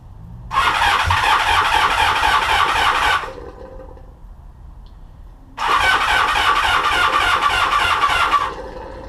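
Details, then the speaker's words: 1982-83 Honda V45 Sabre with oil in the carburetor airbox: two ~3 s starter bursts at about four beats a second, no catch, faint gurgle after each; owner suspects fuel starvation or excess air, liquid in intake. "It won't start, but it will make this like gurgling noise when the starter turns off."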